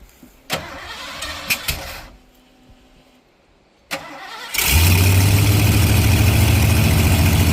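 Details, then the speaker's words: 1986 Ford F150 351W with Holley Sniper EFI, after re-clocking the HyperSpark distributor for number one: short crank, then it catches at once and settles into a strong, steady idle rumble; healthy start. "Holy cow, look at that. Has a bit of spring on that."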